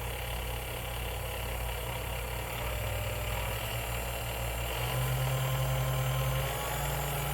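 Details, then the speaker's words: Sunbeam Mixmaster Model 12, restored two years earlier, running after a broken part was replaced; smooth, steady motor hum at even pitch, no grinding, rattle or surging. Runs like new; normal. "Alright, so as you can tell, it runs like new again."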